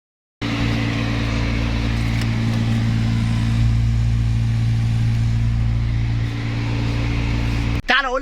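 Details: BMW X1 / E90 with the A/C on: a loud, steady low drone from the blower fan, caused by leaves and debris caught inside the fan cage (no cabin filter); fixed by removing the fan and cleaning it.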